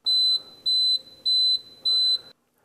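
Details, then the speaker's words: VS4000C continuous-flow steam machine running short on water: four sharp, high-pitched beeps about 0.6 s apart while the orange light flashes. This is the low-water warning, which stops once water is added. "if you run short on water this orange light will begin flashing and you'll hear a beeping sound"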